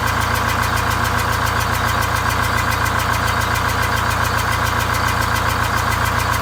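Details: Greyhound Scenicruiser bus, automatic, eight-cylinder diesel with one bad cylinder bypassed, new exhaust and welded muffler, cooling fan off: heavy idle with steady low thrum and even pulse; one cylinder cut out, seven firing.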